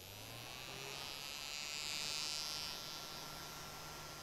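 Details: Noisy small fan: steady high-pitched buzzing hiss over low motor hum; owner later suspects a component damaged during rebuild causes friction noise, while a 3D-printed blade and bearing oil lowered noise about 1–2 dB.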